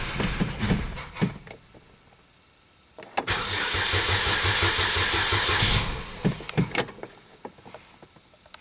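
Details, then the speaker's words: 2007 Chevy Cobalt 2.2 Ecotec, no-start that began after a serpentine belt was fitted; coughed and sputtered, now cranks ~3 s with a fast even churn, never catches; owner suspects the security system, cause found to be a corrupted fuel trim setting, reset with a scan tool. "getting actually some acting like it wants to start which it's never been doing here lately turn the key off key on let something settle down hmm I don't know made some attempt to start there"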